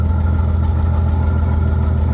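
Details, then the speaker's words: 1966 Ford F100, warming up before compression test, after new points, condenser, plugs, wires, cap and rotor: deep lumpy idle with lopsided exhaust beat; dead cylinder. "this truck was owned by my cousin for many years, and allegedly it has a bad cylinder. However, no one's ever checked it, so we're going to find out today. Sounds like it has a bad cylinder."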